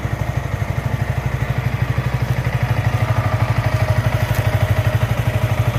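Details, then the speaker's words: Single-cylinder motorcycle after first engine flush and chain adjustment: even, steady low thump about three beats a second, no knocks or misses, sound clearly changed after flush; normal idle. "Guys, sound তো শুনলেনই, বাইকের sound একদম change হয়ে গেছে।"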